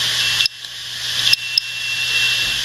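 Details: Hard drive under heavy seek commands: steady high hiss of the spinning platters with a few crisp ticks as the head jumps between tracks to write bits of data, normal seek activity.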